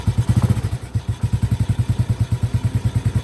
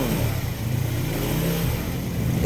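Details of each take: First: Honda Supra Grand motorcycle at low rpm; complaint is that starting has become heavy: single-cylinder thump with a dry tick on each beat, about three per second, from the cylinder head. Valvetrain ticking from oil starvation; oil flow to the head being checked. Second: Honda Supra/Grand 100 motorcycle with a complaint of heavy starting and rough knocking from the head at low rpm, after cleaning clogged oil passages and replacing gaskets: a low, even rumble with no head ticking. Oil flowing; normal running after repair.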